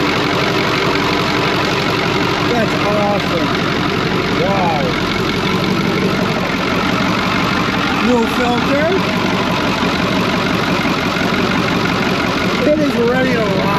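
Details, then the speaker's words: Cummins 555 "triple nickel" diesel in a Brockway 358 truck at idle, just after a valve adjustment that adjusted the loose injectors and tightened nearly all the intake valves. Deep, even firing with no misses; normal idle. "oh man i love this truck it's awesome that sounds freaking awesome nothing else sounds like a triple knuckle"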